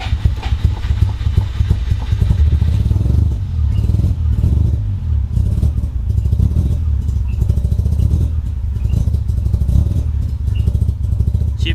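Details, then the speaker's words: Mazda FC RX-7 rotary, running cold after a part was swapped: loud, low, lumpy running with uneven pulses and clatter, the beat wandering rather than settling, some smoke; it won't idle, cause unknown. "So now it just doesn't idle. So, if you guys know what's wrong with my car, uh, comment below."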